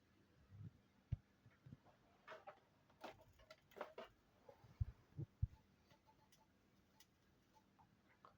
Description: This is LG Flatron L1510M LCD 15" Monitor produced in 2005 and developed tick-tick sound when plugging to AC power outlet!